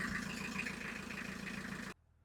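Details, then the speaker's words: Isuzu Marine IM4LC38 diesel on a narrowboat after full service and fuel filter change with fuel system bled: starts on the button, steady smooth drone, revs okay, no knocks or misses, then clean shutdown; normal running. "Then when I started up, it started on the button. So, yeah, and it's running nicely now. It revs okay."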